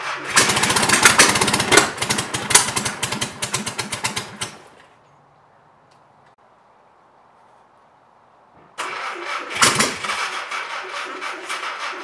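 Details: Mystery non-36 hp flat-four bought for a 1959 VW rag top, on its first start attempt with the coil hot-wired. It fires up uneven and lumpy, stumbles, dies and restarts ragged, like it is missing on a cylinder. Cause suspected, not confirmed.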